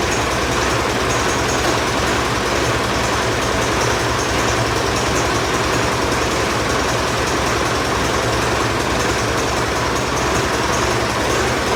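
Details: Ford 4040 industrial diesel tractor just after fitting rebuilt injectors, cool day, started with ether on a weak battery: dense clattery idle rumble, missing buried; rough running expected until air clears from the fuel lines.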